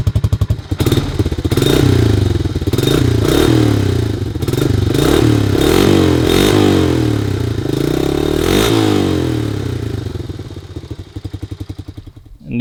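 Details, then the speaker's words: 1985 Honda Big Red 250ES barn-find single-cylinder ATV with a new header and custom stainless muffler replacing the rotted factory one: thumps settling to a steady idle, a few throttle blips, then dying off; clean, healthy exhaust note close to factory. "i am really happy with the way that this sounds the header turned out great as well and it definitely sounds close to factory"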